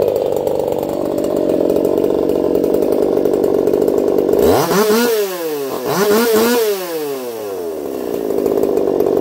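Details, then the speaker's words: Echo CS-4910 chainsaw with a taper-top piston/crank swap, test cuts, running a little warm, about 180 psi cold and 170 warm: steady high buzz dipping and climbing through each cut; clean even firing, normal running under load. "I'll be curious to see what you guys think of that one. I don't even think it sounds like a chainsaw. It does run a little warm."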